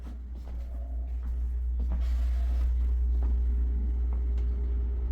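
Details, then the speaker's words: Dishwasher running with a loud steady deep rumble and a faint repeating thump about four times a second under a low hum; noticed after the gas man relit the pilot, the weird noise turned out to be the dishwasher, cause unclear. "I'm like, what the heck is that noise? It's the freaking dishwasher. It's just the dishwasher making a weird sound."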